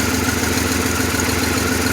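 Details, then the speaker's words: 1997 Pontiac Grand Prix GTP coupe, petrol engine idling with a slightly uneven, pulsing beat. It is still misfiring and shaking a little, with white smoke and a gas smell in the exhaust. "car's still misfiring it's not getting any better i mean it does run seems like it's running pretty good right now it is shaking a little bit"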